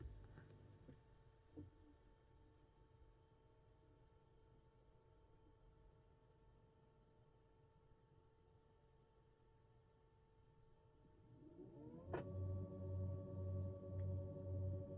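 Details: Tesla Model 3 parked: near-silent car spins up into a loud whining hum with slow pulsing throb from the HVAC coolant system, can occur on door opening; possibly cleared by a service-mode reset.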